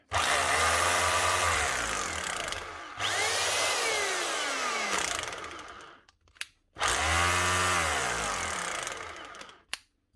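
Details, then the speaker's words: Makita HR2450 rotary hammer after a secondhand switch and new brushes were fitted: two clean start-stop runs, the motor winding up quickly to a steady, even pitch and coasting down smoothly; running healthy. "good one old Makita HR 2450 with a secondhand switch and a new set of brushes that get her up and running again"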